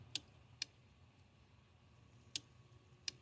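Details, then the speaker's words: Hummer H3 light-bar relay clicking crisply four times when fed power directly, bypassing the switch, and the light bar comes on; relay works, the switches are not passing enough power. "hear the Rel clicking and the light bar comes on so we're definitely not getting enough power through the switches"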